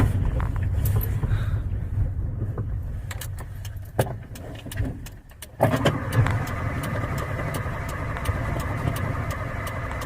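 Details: Carbureted 1994 Honda Civic cold morning start: catches and runs unevenly, dipping near stall around four seconds before recovering to a rough idle; needs revving and pedal pumping to stay running, cause unclear.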